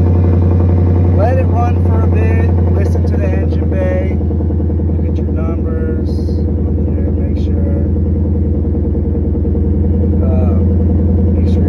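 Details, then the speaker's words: 2018+ Ford Mustang GT V8 after an intake manifold swap: deep steady idle burble with no hiss or stumble, no misfire and no fuel leaks; normal idle. "I don't see no leaking puddles down in there it's not misfiring is running pretty good sounds good"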